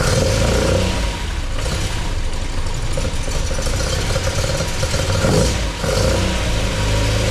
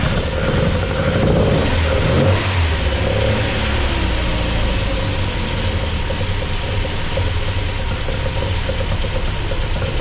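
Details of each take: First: MGB with a newly installed Weber 45 DCOE carburettor (new jets, float height set, top off), first run and not yet warm. A deep engine note picks up cleanly on each throttle blip and drops back to a slightly uneven idle; very responsive, running well. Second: MGB with a newly installed Weber 45 DCOE carburettor, engine still cool and not up to temperature. Lumpy, uneven idle that hunts after a throttle blip. The owner thinks it runs a bit rich, though there is no smoke, and that one choke seems to be doing more work than the other.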